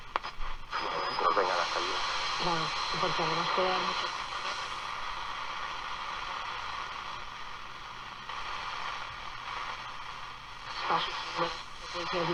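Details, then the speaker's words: Portadyne S3B radio after refurbishment, on shortwave with aerial attached: steady hiss with a clear broadcast voice over it; normal shortwave reception, though shortwave later went completely dead. "i'll tell you why i'm impressed with got the aerial here short wave on this it's pretty darn good actually"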